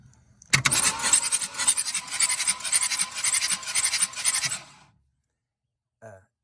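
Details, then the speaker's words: 1965 Ford Falcon six-cylinder parked since the mid-1990s, cranked with spark plugs removed: starter spins the engine briskly and evenly for about four seconds, steady pulses, no drag or grind; normal cranking. "oh look at that hey that thing turned right over ain't got no plugs in it"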